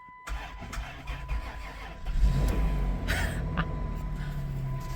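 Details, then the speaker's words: 2000 Chrysler Grand Voyager, 114,000 miles, started after sitting 8 years in a swamp: brief cranking, then it catches at once and revs up cleanly to a steady run, pedal floored; normal cold start after long standing. "And it fires right up. Oh, we're going."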